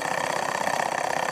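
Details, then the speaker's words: Cheap Banggood kit Stirling engine after smoothing upgrades, power piston left dry: fast, even ticking about twenty beats a second with a light metallic tone; runs faster and quieter, less metal-on-metal noise. "look at it go it definitely runs a lot faster now in fact my entire table is shaking another thing I immediately noticed is that it runs much quieter as well much less metal-on-metal moons"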